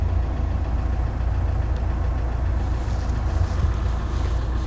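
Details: VW Amarok diesel, checked for clutch noise and dual-mass flywheel play: steady, even idle with deep smooth rumble and no rattle or knock; flywheel sounds healthy.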